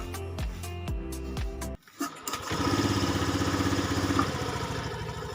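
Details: 5-year-old Honda Scoopy eSP ACG injection scooter, never serviced, with sudden stalling while riding and no MIL code; after air filter cleaning, spark plug check and ECU reset: cranks, fires after a short pause, holds steady even idle, now running normally.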